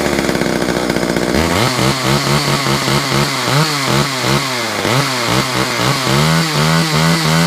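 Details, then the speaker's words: Chainsaw idles then surges up and down unevenly with a rough, wandering note after being coaxed to start with choke; oil running through, runs but just wants a service. "Then you can see the oil's running through. It just wants to service. So I may just do a little service on it."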